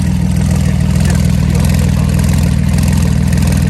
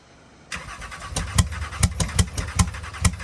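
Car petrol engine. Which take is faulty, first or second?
second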